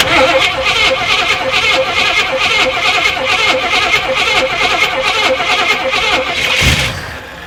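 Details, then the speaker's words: Cherokee Chief motorcycle sat 3 or 4 years, new battery, fuel likely stale, first crank to build oil pressure: starter turns engine over in steady rapid pulses, about three a second, for several seconds without catching. "I'm just gonna go ahead and spin it over first, see what it sounds like, or see if it does spin over, and we'll go from there."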